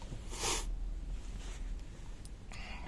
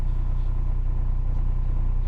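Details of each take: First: Renault Scenic 3 with M9R 2.0 dCi diesel after starter replacement: slow low thudding crank drags several seconds before catching; starts only 1 in 20–30 tries even with hand-primer pumping; long cranking, hard start. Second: Renault Scenic 3, M9R 2.0 dCi diesel at idle after starter replacement (old starter had worn brushes): steady, even low rumble with no misses, knocks or rattles; normal idle.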